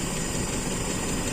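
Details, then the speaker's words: Cold carbureted Toyota Kijang idling with hood open: fast, light tek-tek ticking in the rumble; owner suspects loose valve lash after hard revving, with the rocker arm and pushrod already problematic; unconfirmed. "ini aja sudah suaranya ada tektek tektek itu efek kita genjot-genjot kemarin geber-geber mungkin sudah ada yang kendor setelan klepnya"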